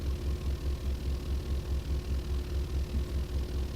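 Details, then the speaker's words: Car audio subwoofer in a newly built sealed box with weather-stripped driver and undercoating: deep test-tone thump pulsing about 2.5 times a second with rough chuffing as air leaks out of the enclosure. "so much air leaking like this is box number seven why can i not get a box that actually works"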